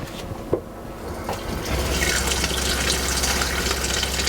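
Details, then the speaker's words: Airstream Interstate 19 fresh-water pump after upgrade to a quieter replacement, tested with a new short hose fitted between filter and pump: tap water rushing, then a low steady pump hum, quieter than the original pump and running normally. "it is quieter than the original water pump you could hear a little bit but it's not like it's not so loud"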